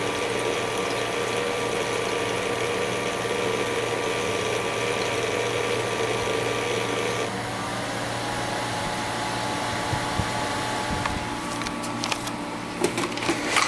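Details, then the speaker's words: Master Chef countertop ice maker with a replacement magnetic-rotor water pump, running with water: steady buzz with an uneven light rattle over sloshing, no longer whining; cause of the rattle unclear. "new that really doesn't sound all that great but it's not whining so I guess there's that"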